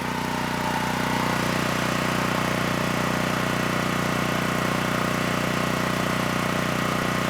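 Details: Generac GP6500E generator after repair of seized engine, warmed up, under heavy load up to 6,000 W near max: steady, even drone holding constant speed without surging or hunting; held 121 V, just below 59 Hz, healthy.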